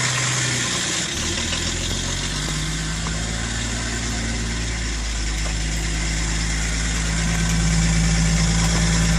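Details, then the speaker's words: 1997 Vauxhall Omega turbo diesel, BMW M51 six-cylinder, unused 18 months, first cold start after glow plugs: steady idle with puffing, ticking chuff from an exhaust leak needing welding. "Exhaust leak, that'll need welding up. Bottle weld should sort that out, I think."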